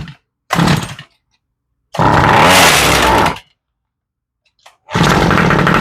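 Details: Toro string trimmer left with old fuel over winter, primed and slightly warm: fires in three ragged bursts of about a second each, then dies back; fuel starvation from a gummed-up carburetor, later rebuilt.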